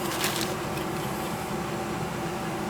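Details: Goodman gas furnace restarted after a blown control-board relay caused a burnt smell and no heat, running through a cycle: steady, even blower hum with a low tone and smooth air rush, no scraping or cycling; operating normally.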